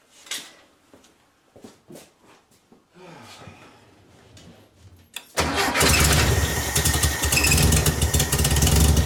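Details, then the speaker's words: VW Beetle with new Pertronix distributor and coil: a few cranks then uneven lumpy hunting idle; owner suspects carburetor adjustments, previously tampered with; rough running. "I think it's the carburetor adjustments. I was messing with them before and they were a pain in the ass."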